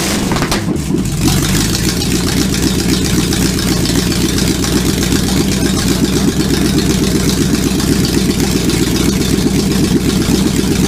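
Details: Supercharged V8 in a 1959 Vespa microcar, first-ever start attempt: catches after a short crank and settles into a steady, gruff rumble with light throttle blips; runs evenly with no misses, normal running.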